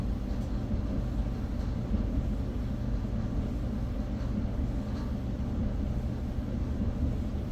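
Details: Whirlpool dryer from a blower-wheel repair: a steady, even low rumble with no scraping, rattling or thumping, so the drum and blower are running smoothly.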